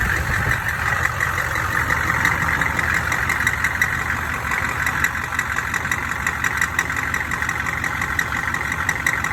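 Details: Odd high-pitched banging at steady idle: a sharp, fairly regular tapping about three times a second. Suspected cracked flexplate or loose crank bolts, not confirmed.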